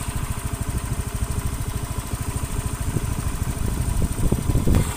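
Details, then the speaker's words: Honda Beat FI (K44/K81) scooter idling warm after repair and a roughly 3–6 km test ride: smooth, steady low putter with no knocking, replacing the earlier heat-related rough clicking noise blamed on a loose cam boss; normal idle. "untuk mesin suara halus ini nanti tak coba lagi untuk jarak beberapa kilometer ya Nah untuk mesinnya itu sudah halus"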